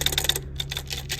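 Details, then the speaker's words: Triumph TR6 A-type overdrive gearbox being removed for rebuild, shaft turned by hand: quick, dry, uneven metallic clicking and rattling. The worn bearings have heavy play, and the owner suspects the pin is also broken. "but those bearings are making a ton of noise"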